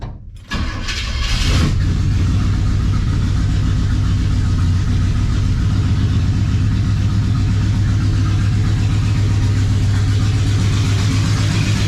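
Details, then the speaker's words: 1972 Chevrolet C10 started; catches after a short crank into a loud steady idle with a faint extra drone; alternator charging but making noises, owner thinks it is toast. "I think that alternator is toast. It's charging, but it's making some noises."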